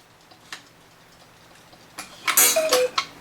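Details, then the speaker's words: 8-day Black Forest cuckoo clock with auto night shutoff, after servicing and refitting the back: brief cuckoo call with a dull dead thud instead of a ringing gong; gong out of position. "That sounded terrible. So, because this has a hole in here, I can adjust the gong by moving it down a little bit because right now it's making a terrible thud."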